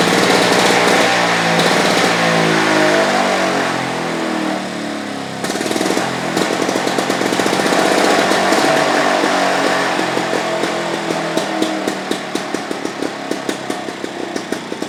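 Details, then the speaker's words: Victa Pro 550 two-stroke mulcher mower, first start after repainting and a small carburetor job, revs then settles to a steady popping idle of about four beats a second without stumbling; a healthy idle. "How good is that, folks? Just listen to that idle. That is just fantastic."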